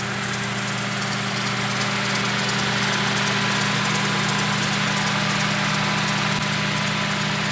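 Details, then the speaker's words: Daihatsu Charade petrol after new high-tension wires, carburettor cleaning and fuel tank cleaning to cure hard starting: starts readily, steady even idle with low hum, no stumbles or knocks, no smoke; no longer hard starting. "Ayun, ayos ang tunog. Diba? Ganda na tunog niya. Hindi na siya hard starting. Ayos na siya."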